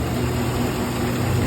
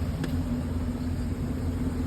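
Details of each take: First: Chevy Silverado 1500 5.3 L Vortec 4x4 after repair of a flashing check-engine misfire, with cams, all hydraulic lifters and a broken timing chain tensioner replaced: smooth, even low idle, no ticking or misses, no check-engine light. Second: Chevy Silverado 1500 5.3 L V8 4x4 with flashing check-engine light: lumpy, uneven idle misfire; cylinder 4 has very low compression, knocking inside the engine, hydraulic lifter on cylinder 4 suspected.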